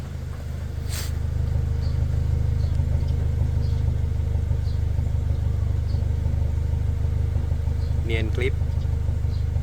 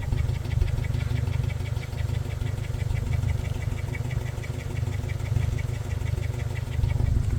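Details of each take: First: Toyota Fortuner petrol engine, probably 2TR, on petrol after repair of cylinder 2 not firing (rodent-chewed wiring): steady, even low exhaust rumble at idle, no more stumbling. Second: Toyota Fortuner petrol engine, likely a 2TR, on LPG or petrol, with no warning light: a lumpy, uneven idle over a light ticking. The misfire is on both fuels because cylinder 2 is dead from rodent-chewed wiring.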